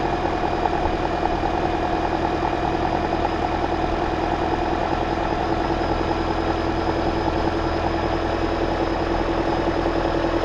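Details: 2009 Toyota Corolla just after alternator replacement and belt re-tensioning, checking for the earlier noise. Steady, even idle with a smooth low hum and no squeal, whine or knock. Normal idle.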